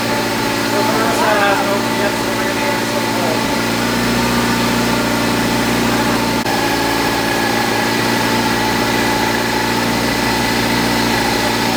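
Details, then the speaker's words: 1973 Triumph Spitfire, first run after sitting three years and reconnecting wires, hoses, distributor, carburetor and fuel parts: steady, even idle with a smooth constant beat and no knocks or stumbles; sounds healthy. ">> Sounds real nice."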